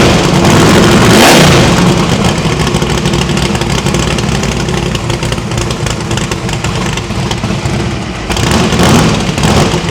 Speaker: well after firing it up on four spark plugs it did in fact sound much better on eight so I think the valve springs is okay